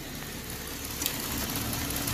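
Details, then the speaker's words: 2016 Jeep Wrangler Unlimited V6, previously misfiring on a couple of cylinders, warm idle after several minutes of running following the fix and software updates: even, steady idle with zero misfires and a good ignition waveform. "all right it's been run for about i don't know a few minutes now still zero misfires"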